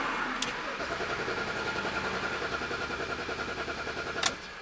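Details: BMW X3 that cranks but won't start, with multiple trouble codes, coolant 76, intake air 88, 12 volts on the battery. Steady, uneven starter churning for several seconds with no catch; the engine cranks freely but never fires.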